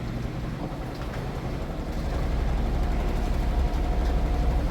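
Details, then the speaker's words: GE 2.8 cu ft top-load washer on the final spin of a test load with a capful of bleach: a steady deep hum and even whoosh of about four turns a second that builds slightly. The drum stays well balanced and spins fast, so this is a normal, healthy spin. "It's doing an excellent job being balanced. It's spinning pretty quick. All right, we're on that final spin cycle."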